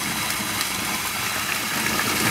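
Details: Sump pump running again on an extension cord after a failed GFCI outlet cut its power and its hose popped off: strong continuous splashing gush of water over a low pump drone; discharging properly.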